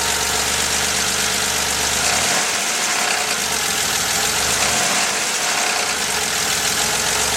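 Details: 1983 Porsche 911 SC, stock 3.0 engine at idle: busy, clattery idle with uneven deep knock under mechanical noise; owner fears rod knock, cause not confirmed.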